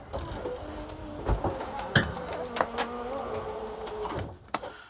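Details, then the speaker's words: Coachmen Sportscoach 380MBS Class A diesel pusher (Freightliner XC) slide-out extending: motor drone wavers and drops in pitch with knocks and creaks, struggling over the ramp hump the wood must ride up. "all right let's go out struggles getting over that hump"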